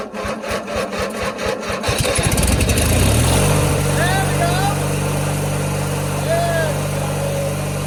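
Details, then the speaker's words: 1997 MTD Yard Machines single-cylinder riding mower, hard cold start at 10°F (−12°C) with starting fluid sprayed in the carburetor: slow cranking chugs for two seconds, then catches and settles into a steady even run. "go I win now that's a hard cold start for you guys PR The Ether in the carburetor got it started"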